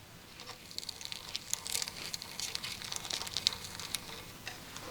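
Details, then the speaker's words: Cervelo S3 with BB Right 79 mm shell and Kogel ceramic bottom bracket, turned by hand: dry, irregular crackle and ticking with no smooth roll; bearings gritty, shell misaligned and later remachined. "So, if we continue to finger the bottom bracket, first of all, the bearings are gritty as hell"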